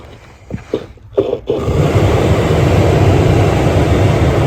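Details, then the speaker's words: 2004-2008 Ford F-150 blower motor reinstalled, truck on: stutters with short bursts then catches to a steady whoosh; works sometimes, very loose connection suspected inside the fan motor or at its connector. "Very, very loose connection. I think the fan motor's bad. Okay, so we figured that it works sometimes, doesn't work others."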